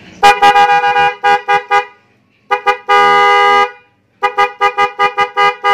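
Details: Denso snail horn on a Vespa matic, fitted with a relay and fed directly from the battery, tested after mounting is finished. Sharp bursts of a bright, steady two-tone honk, short taps then a longer blast. Strong and clear, working properly.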